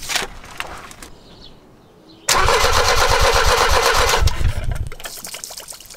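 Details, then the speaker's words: Mercedes W123 on a ramp after a fuel line replacement, with the fuel delivery line still disconnected: the starter cranks the engine at about four even turns a second without firing, as a test of whether the pump delivers petrol; petrol sprays out. "I think the fuel delivery line is still disconnected, so I'm going to crank it over and see if anything comes out the other end."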